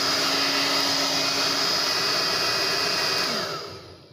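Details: Steady high rushing whine at a constant pitch, spinning down smoothly at switch-off, from a Tecno Elétrica Fórmula 6000 Turbo hair dryer. It is reassembled with an adapted heating element, and the motor is slightly off-center but not rubbing; it heats well with strong airflow.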